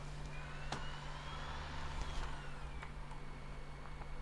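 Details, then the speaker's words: Apple PowerBook G4 with bad backlight, Mac OS 10.3 install CD inserted at power-on: a faint whine climbs in pitch over a couple of seconds, then settles and drops away; the optical drive spinning up normally. "As soon as we turn it on, it will. Can hear it spinning up."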